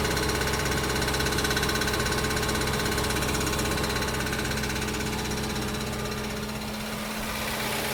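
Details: 2005 Audi B6 4.2L V8 automatic, 180,000 miles, cold start: fast even metallic rattle under the engine tracks idle speed and stops after revving; failing starter return spring leaves the pinion hitting the flywheel.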